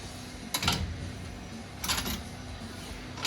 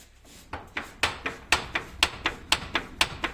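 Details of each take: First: FOX 3.0 shock absorber from a 2023 Polaris RZR Pro R turbo after repair of a knocking complaint: hissing surges about every second and a half as the shock is cycled, with no knock at the end of travel; shock working normally. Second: FOX 3.0 shock from a 2023 Polaris RZR Pro R turbo, cycled on the bench: sharp metallic knocks about two per second, then scattered single clacks; an untightened internal part was loose.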